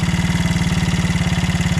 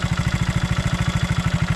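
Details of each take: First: 1975 Honda CB125S barn-find motorcycle showing 1161 miles, which doesn't smoke and was restarted after months unused. The single-cylinder idle thumps fast at about 3.5 beats a second, then slows as the idle is adjusted down, showing it was set too high. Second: 1975 Honda CB125S barn-find motorcycle showing 1161 miles, which doesn't smoke, just after its high idle was adjusted down. It gives a steady, even low thump with no misses or rattles, a normal single-cylinder idle that sounds a lot better.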